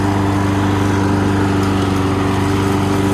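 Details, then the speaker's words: Subaru EA175V 21-inch push mower, after its oil change, self-propel drive engaged: steady engine note with a firm even beat and no misses; runs healthy and the self-propel works beautifully. "There you go. How do you like that? Self-propelled works beautifully."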